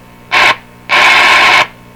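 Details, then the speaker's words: Northern Electric 5300 five-tube radio after a long warm-up: static hiss and hum cut in and out in bursts as volume rises and falls; owner suspects a cold solder joint, possibly at a capacitor connection, unconfirmed. "this is sort of suggest a cold solder joint in there somewhere is it my capacitor connection"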